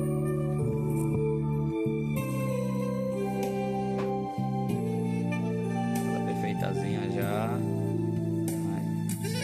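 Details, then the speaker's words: Oneal powered speaker box after repair (it had powered on with a strange noise and no sound; faulty components replaced): music plays clearly with full bass and melody, no hum, crackle or distortion; working normally. "A caixa já está funcionando, já fiz a substituição, entendeu? Caixinha funcionando normalmente."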